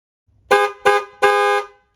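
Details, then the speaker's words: Ford Mustang SN95/New Edge after clock spring replacement and connecting both horns (previously only one): three loud, clean blasts, two short and one longer, full steady tone with no crackle; horn works normally. "so I only had one horn hooked up so it sounded a little dorky but now after getting them both connected it sounds like a normal"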